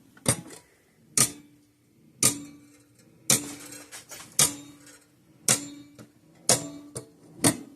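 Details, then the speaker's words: 1950s-60s Parmac-made Sears 6-volt mechanical fence charger with gold-plated points, power supply raised to 6.5 V: sharp clicks close to once a second, each with a short buzz; interrupter pulsing too fast. "Let's crank this power supply up to 6.5 volts. Why is it clicking so much faster?"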